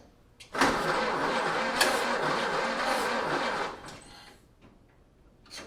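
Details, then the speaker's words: 1930 Ford Model A four-cylinder, first start attempt after sitting seven years: steady cranking about four turns a second for three seconds, never fires; ignition timing was found one spark plug off, so it was never going to start. "what I ended up founding is that we're about one one spark plug off on the timing so uh it was never gonna start"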